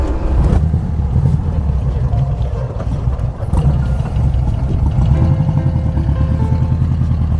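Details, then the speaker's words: 1969 VW dune buggy engine (sold as 1776cc) after water was sprayed on it: an uneven, stumbling low rumble with irregular gaps, as if two or three cylinders drop out, from wet plug wires or a wet distributor cap shorting the spark. "yeah that's missing yeah you're already two or three yeah that means there's a spark plug wire that's shorting it because it's wet"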